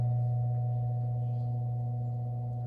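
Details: 1938 GE 12-inch oscillating fan, catalog 49X929, after base rewiring, bare motor without blades, oscillation test: smooth even low hum, steady pitch, no knocks or rubbing; motor and oscillating gearbox healthy; normal.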